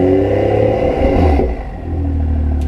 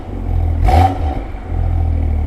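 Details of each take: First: BMW M2 LCI with IPE exhaust on factory valve actuators, cold start: revving with loose metallic clatter on the exhaust note, worse with valves closed; suspected weak actuator spring tension rattling exhaust valve. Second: BMW M2 LCI with iPE exhaust and factory valve actuators, cold, after removing three washers from each side: deep steady rumble as the valves cycle open and closed with no rattle; rattle fixed.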